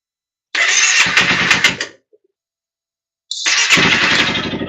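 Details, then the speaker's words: 2015 Honda CBR300F during a fuel pressure test after a no-start: a brief whirring crank dies, then the engine catches and runs with a buzzy note. Owner suspects a bad battery; a ticking is heard, and it later shuts off. "Oh, there we go. Oh, it actually started."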